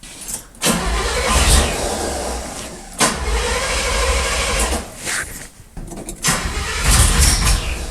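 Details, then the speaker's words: Old Chevy square-body truck on choke after carburetor work: long bursts of uneven cranking with pauses, never firing; cranks but won't start, owner suspects it is flooded, later thinks it isn't getting enough fuel. "oh I think it's flooded something's not right"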